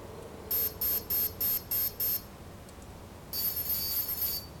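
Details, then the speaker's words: Align T-Rex 500 BEC speed controller programming at option 6, BEC output voltage left at the 5.5 V middle position: six short high beeps about three a second, a pause, then a longer warbling chime as programming finishes. "number six VC output voltage which I'll leave at five point five volts which again is middle position"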